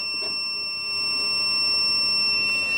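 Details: APC SRT 5kVA UPS on 247 V input, showing fault P.16, event code 125 (negative DC bus soft start). A continuous, steady, shrill high-pitched alarm tone sounds. A diode reads 0 V where 400 V is expected, while the positive side has DC voltage.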